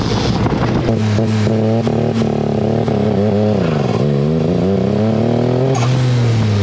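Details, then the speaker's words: Turbocharged EFI car on street tires running stock Mitsubishi Mirage coil-on-plug coils: makes no boost and won't rev even at low boost. Revs rise and dip unevenly, stumbling and breaking up; misfire under boost suspected, ignition being diagnosed. "so I'm not getting any boosts and it will not even rev up it won't even rev with low boost"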